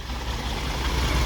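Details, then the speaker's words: Old gas V8 manual 4x4 pickup at a used-truck inspection, idling after a jump start, under the hood: a smooth, low rumble with no knocks or ticks. A pulley wobbles a little with some noise, judged no big deal, and there is no valve noise. "sounds quiet I can see this pulley here is wiggling a little bit and I hear noise coming from it but not the biggest deal in the world I don't hear any valve noise"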